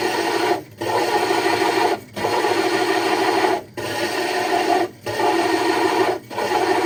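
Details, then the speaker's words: Hole saw drilling aquarium glass (60 breeder tank) with water added, through a template: steady gritty rasp broken by short knocking gaps about every 1.5 seconds, indicating the bit is nearly through. "Yep, you can hear it knocking there, so we're close."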